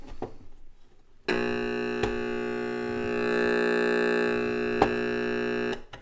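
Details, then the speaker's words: Panasonic RC-6003 flip clock radio before restoration: a steady buzzy alarm tone holds evenly about four seconds then cuts off; normal alarm sound, though the volume switch needs cleaning and the motor makes a little noise. "That's the alarm. I'm always asked what that sounds like."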